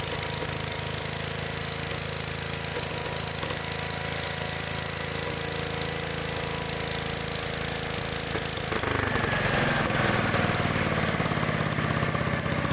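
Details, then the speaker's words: Old Gravely small engine firing raggedly at idle, then rougher and breaking up when revved. Points arc at high RPM and carburetor adjustment doesn't help; worn points and condenser are causing the misfires. "so see how it runs real like real crappy at high RPMs and stuff and sitting there adjusting the carbet trator and ain't doing any good that's cuz it's got an ignition problem the points of condenser are wore out"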